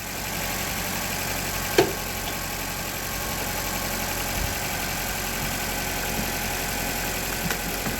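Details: Honda Civic after replacing a locked-up AC compressor, started before adding refrigerant: smooth, even idle with a steady hum and one brief click, no knocks or misses; engine runs normally.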